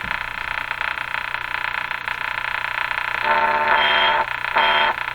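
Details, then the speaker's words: 1935 Rogers Model 7R622 tube radio during broadcast-band alignment with signal generator: harsh croaking buzz comes through twice over steady hum, test signal received, a good sign; clicking is interference. "as horrible as that sound is it's a good sign the clicking sound is also interference here in my shot"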